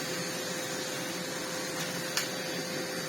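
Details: Miele CX1 Comfort XL bagless cylinder vacuum with power nozzle, max light flashing, before service: steady motor drone with a thin fixed tone and little airflow rush, one brief tick; loss of suction.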